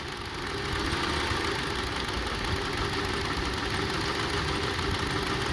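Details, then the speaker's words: 2002 Honda CR-V 2.4L rough-idle test: unplugging one ignition coil at idle leaves three cylinders running and the idle turns shaky and stumbling; every coil tested this way proved good. "Let's disconnect this one. See? Three cylinders only working. Start shaking."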